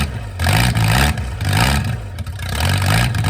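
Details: Mercruiser 470 3.7L carbureted marine engine, first run in 16 years, automatic choke not working properly: deep, slightly uneven beat as revs rise and fall; engine running again after long storage.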